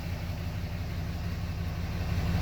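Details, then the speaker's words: 6.7 Cummins diesel, after a crank-no-start with injector-open codes for cylinders 1–4: engine starts and settles into a steady, even low rumble at idle with no misses, knocks or stumbles, and no codes now present. "so hopefully this is going to start i don't have it on the cha i don't have the charger on 12 volt start boom there we go so now we're running"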